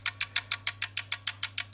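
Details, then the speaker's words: Tenda smart plug with no lights or Wi-Fi, only relay clicking: sharp regular clicks about six per second with no hum between; the relay chatters because a swollen, dead electrolytic supply capacitor can't hold it in. "No Light No nothing just click click click click and imagine having that one connected and all your stuff going click click click on off and off and off and off"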